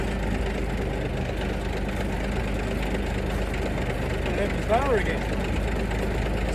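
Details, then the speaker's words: 1973 Mack FR711 with 250C engine and quad box, after bleeding air from the fuel system: low, even diesel clatter at a steady slow idle with no hunting, misses or stalls. Normal idle. "Anyway, it's running away nicely. Not running away, but it's running nicely there at the moment, which is good."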